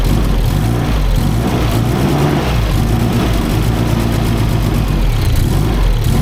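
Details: SR32 engine on a Link ECU during first start on a borrowed base map: loud, deep, uneven roar with a ragged low rumble, then switched off. Rough running; knock was suspected, and it later started fine on the ECU's own base map.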